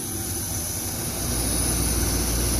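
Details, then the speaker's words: Clean Burn waste-oil shop furnace, with its 3000 cfm rear fan switched on by override: a steady rush of air grows slightly louder as the fan comes up to speed, even and free of rubbing. Normal blower operation. "there's a big fan in the back of the unit here a 3000 cfm fan and when it gets to a certain temperature it'll start blowing heat out these vents"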